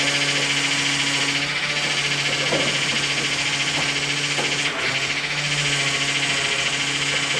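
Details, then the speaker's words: 2000 Dodge Intrepid 2.7 V6 after a power steering flush and refill: steady pump whine over a hissy engine idle while the wheel is worked lock to lock; air trapped in the steering fluid. "And you'll hear power steering noise. That's okay. That's because there's air in the system, so that's fine."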